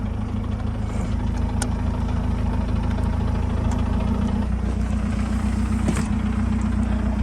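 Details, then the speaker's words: Mazdaspeed 3 just back from a new clutch and Damond Motorsports engine mounts, idling: a steady low idle with a coarse buzzing chatter carried into the body by the stiff mounts. "the car feels so much more solid when you start it like it just feels so much better just listen to this chatter bro"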